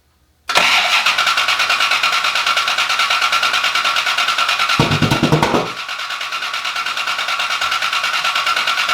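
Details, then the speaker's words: Rebuilt wrecked Cobra, first start with Holley display: steady cranking pulse about three beats a second, never catches. No start from distributor installed wrong; resetting distributor made it fire immediately. "we had seen a video of it run so we assumed that the distributor was in the right place but it was not so simple easy fix pull the distributor reset it put it back down and it immediately fired right up"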